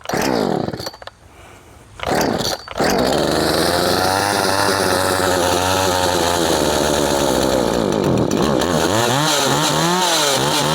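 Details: Poulan Farmhand 2500/2900 chainsaw, converted from 3/8 low-profile to .325 chain, started on choke after a couple of pulls; fires and holds a steady, even buzz, revving cleanly up and down on the throttle. Runs healthy.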